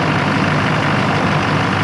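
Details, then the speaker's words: 2004.5 GMC 2500 HD LLY Duramax, 245,903 miles, deleted and tuned with a new CP3 fuel pressure regulator and lift pump, a little cold at about 45°F: steady, even diesel clatter at idle with no hunting or surging. Smooth idle. "smooth as ever the truck is good to go no more L idle nice consistent exhaust note"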